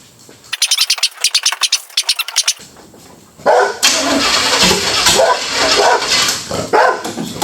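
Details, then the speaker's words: Chevrolet Chevelle V8 that had been sitting since 1987, first start attempt. Several seconds of steady rhythmic cranking, then the engine catches and roars to a strong, even run with no odd knocks. "this thing's been sitting since 1987. we're going to try to fire it up for the first time we're going to see what happens hopefully this motor's not junk"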